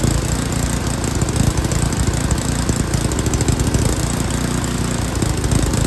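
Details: Yard King snowblower, full throttle, choke on; loud stumbling with irregular chuffs and uneven speed, smoothing slightly during carburetor mixture screw adjustment.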